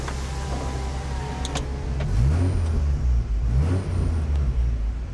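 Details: Vehicle fitted with Y-pipe and Hushpower aftermarket muffler for better mileage: deep, boomy exhaust drone swelling when revved, heavy low rumble; the muffler makes it loud and coarse.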